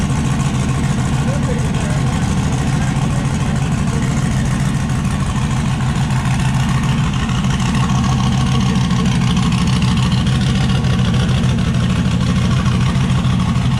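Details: Turbocharged V8 Zodiac S10 after fire-up with turbo setup, wideband not yet hooked up; loud, lumpy idle with uneven, stumbling beat that never settles, a miss.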